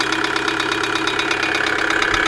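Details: 2008 Kia Sedona 2.9 CRDi diesel (J3) idling with sharp, even, persistent knocking during camshaft sensor signal checks back to the ECU; code P0016, knock cause not pinned down.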